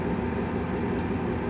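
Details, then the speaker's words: Gas furnace at startup during no-heat troubleshooting: draft inducer runs with a steady, even rushing hum, no rattle or scrape, building pressure to click the pressure switch before igniter glow; normal draft inducer operation. "draft inducer comes on it has to create enough pressure to click this switch you'll hear it it might take a couple seconds"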